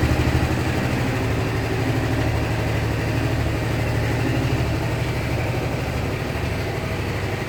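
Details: Honda SH 300i scooter idling with a light tick of about three per second riding on the engine beat; mechanics say it is nothing, but the owner believes something is wrong, and the cause is not identified.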